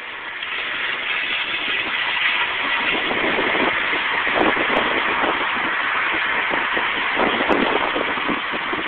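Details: 2000 Nissan Maxima after new tires: harsh metal grind from front wheel turning left; bent brake pad rubbing the thin dust shield, fixed by bending the pad back.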